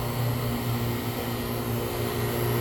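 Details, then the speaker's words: Fieldpiece vacuum pump on an AC system with a line opened: steady drone turns hollow and airy instead of tightening up, pumping out steam; outside air and moisture being drawn in through a leak. "I hope you could hear it it it it it has a hollow sound to it and then it's starting to pump out Steam"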